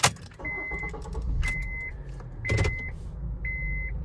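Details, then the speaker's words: Honda CR-V door lock reprogramming: four quick lock clunks each with short high beep about a second apart; normal power door lock operation. "that was one click keep holding it two clicks I'm going to hold it about five more seconds you'll hear another one"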